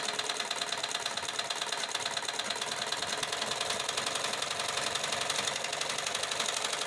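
Light, fast, even ticking and whirr from the sewing mechanism with no knocking or grinding; machine running smoothly as it should.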